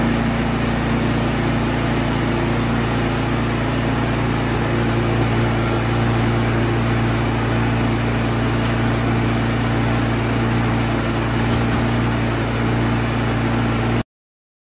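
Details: Troy-Bilt Storm 2665 snowblower small single-cylinder engine that would not start after sitting all summer with gas in it, now reassembled: a smooth, even steady hum at constant speed with no misses or surging, running normally.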